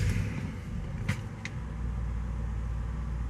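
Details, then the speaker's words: 2005 BMW 645Ci E64, N62 V8, after fixing dead misfire on cylinder 3 from melted ignition coil: even steady low idle rumble, no stumble or rhythmic miss; slight roughness value on cylinder 4 but idles smoothly. "So far it feels pretty good. Nice and smooth."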